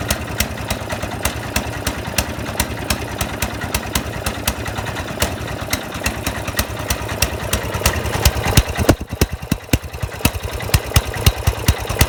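Sharp pops at about three per second, unevenly spaced with dropped beats; the small single is misfiring at idle.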